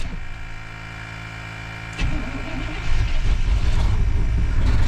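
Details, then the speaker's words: 1992 Chevy Blazer that sat 12–15 years, first start: a few sputters, then a lumpy, uneven low idle; rough running, owner suspects plugged exhaust or popped muffler, cause unconfirmed. "Well, she runs. Here she is, boys. She runs. I think the muffler's popped."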